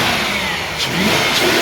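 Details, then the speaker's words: 2003 Range Rover HSE engine idling smoothly after replacing ignition coils and spark plugs to fix a misfire; even, steady rev with no stumbles or misfire, though the service engine soon light stays on with no code stored. "Okay, so we started the engine. As you can hear, it works great. No misfire."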